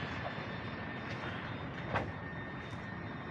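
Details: Toyota Vios 2nd gen, cabin hum while driving 40–60 kph; rock test showed no play; steady low drone traced to a badly worn left wheel bearing (not the right as first heard), to be replaced.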